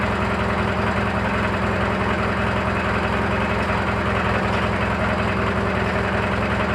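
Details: Briggs & Stratton 18hp opposed-twin engine after a new air filter, oil change overdue: steady idle with a light, regular chatter of about 2.5 knocks per second over the exhaust beat. Source not yet identified.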